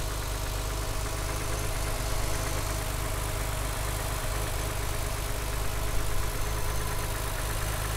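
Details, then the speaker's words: 1995 BMW E36 M3 coupe with the 3.0 engine, warm start, not cold: a steady idle with a faint light rattle heard toward the back. The owner does not know the source of the rattle. "there's a bit of funky noise on Idol you can hear it in the back I do not know what this is"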